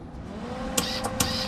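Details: Wire feed motor of a Lincoln Electric Weld Pack 3200HD feeding wire through a newly fitted YesWelder 100A K530 MIG gun, tips removed: a steady light whine with sharp clicks about every quarter second. The feed motor is running normally.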